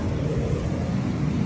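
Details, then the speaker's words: Tesla Cybertruck just back from service, about 20 minutes after supercharging, AC off, still loud after 20+ minutes of driving: steady heavy low whooshing roar like battery preconditioning, cooling fan running flat out with grille louver stuck closed. "I supercharged it like 20 minutes ago or so I have the AC off and just listen how loud it is he has that sound like when you're preconditioning the battery that's how loud it is"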